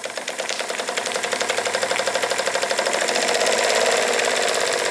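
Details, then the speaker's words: Jensen Model 25 toy steam engine on its first run, running clockwise. A fast, slightly uneven knock at about three per second over the chuff changes with valve timing via the reversing lever; the owner thinks the valve linkage causes much of it; crank main bearing knock. "I think a lot of That Knocking has to do with the valve linkage itself but you can still hear it"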